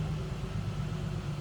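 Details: 2007 Ford Mustang convertible with no check engine light, heard from the rear at the tailpipe: steady, even low rumble with no misses or ticks; the exhaust idles smoothly and sounds healthy.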